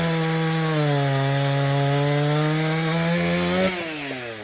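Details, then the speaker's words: Stihl 034 chainsaw, brought in for starting but not idling, after repair including a broken fuel line: high steady note holding speed through the cut then easing off cleanly; starts easily, idles, accelerates well under load. "Okay, so the Stihl 034 runs really well. It's easy to start, it idles, lots of acceleration."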